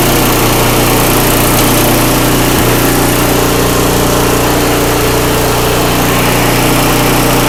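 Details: Craftsman 5/24 track snow thrower after carburetor cleaned with carb spray and compressed air and reassembled: small engine holds a loud, steady, even drone with no surging, sputtering or misses; running properly.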